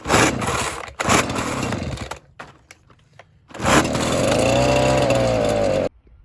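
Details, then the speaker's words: Ryobi BP42 backpack blower just after fitting a new replacement carburetor kit, fuel lines, filters and primer bulb: catches in bursts and stalls, then surges up and down before cutting out; runs rough and bogs, likely needing carburetor adjustment. "as you saw it wasn't really running too smoothly there so i think it's going to need to have the carburetor adjusted"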